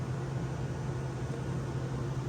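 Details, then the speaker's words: Vintage Westinghouse 10,000 BTU window A/C with Copeland/Bristol-style reciprocating compressor; steady even low hum with smooth airy rush, no rattles, knocks or surging; smooth runner, works well, normal running. "but anyhow yeah it's a smooth runner uh i think for 20 uh 40 bucks it's not too bad i got a pretty good deal on it and it works pretty well"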